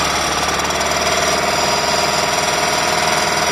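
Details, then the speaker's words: Ford 2.0 OHC petrol engine in a Transit: loud, hard, rapid knock, about four a second, from near the camshaft sprocket, sounding like a valve; valves were adjusted and ruled out, cause unknown. "стук откуда-то в районе звёздочки распредвала как будто бы щит клапан но это не клапан"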